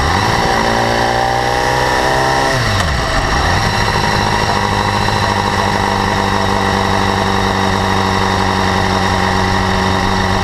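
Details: 2012 BMW S1000RR, about 4,500 km: fine, rapid high-frequency tick over the idling inline-four through a rev blip and drop; absent at first, growing steadily louder; owner suspects valve clearance or the exhaust interference-pipe flaps, source unconfirmed.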